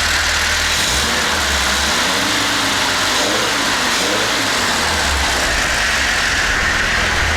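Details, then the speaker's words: Volvo P1800 engine built some years earlier, fired minutes before in a jury-rigged setup: smooth, even idle with a steady exhaust beat and no knocks or ticks; settles cleanly and sounds sweet, normal idle. "I built the engine some years ago, and we fired it up just a few minutes ago. So, sounding rather sweet."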